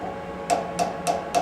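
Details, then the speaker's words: Lathe boring bar, high-speed steel, extended to 5:1 overhang; four taps about a third of a second apart each leave a clear high-pitched ringing note, so the bar is lively and very likely to chatter when machining. "you hear that high pitch note very high chance of chatter at this point without basically every trick in the book on high speed steel bar"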